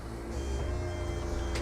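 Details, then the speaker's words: E&P Level C hydraulic levelling, owned about 13-14 months, on a 2020 Bailey Alicanto Grande Porto twin-axle caravan, retract pressed, jacks raising and van dropping back onto the jockey wheel. Steady low electric pump hum with faint even tone; normal retraction. "and each Jack will start going up and you see it drop back down onto the jockey wheel"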